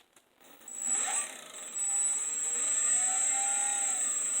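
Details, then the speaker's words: First test of a 3D-printed 8-magnet, 6-coil axial flux BLDC motor on a sensorless Hobby King controller: high electronic whine with a rapid scraping tick as the rotor hits a protruding Hall sensor. "hear it it's hitting I think I figured out yep it's hitting on this Hall sensor right here"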